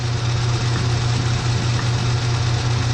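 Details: Kobalt KM 2040 battery lawnmower motor armature spinning in a lathe while its commutator is cleaned with commutator chalk: smooth constant low hum, steady pitch, no knocks or grinding; rotates evenly.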